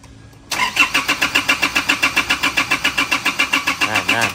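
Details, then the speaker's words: Car with a no-start fault, no fault codes, fuel not reaching the pump, battery weakening: starter cranks steadily about four turns a second for four seconds without catching; long crank blamed on interrupted fuel supply. "น้ำมันมานะเช็คแล้วสตาร์ทนะซึมนะะที่ยาวก็คือน้ำมันมันขาดช่วงนะเมื่อกี้สตารไม่ติดนะครับ"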